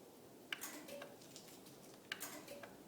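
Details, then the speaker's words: Genie garage door opener: pressing the wall button to close gives sharp relay-like clicks about every 1.5 s, but the motor never runs and the door stays put. Pushing the set limit switch or knocking the door temporarily restores operation. "when I push the button on the wall to lower the garage door all it does is a clicking sound so here's the demonstration so just clicking sounds and the garage door doesn't actually come down"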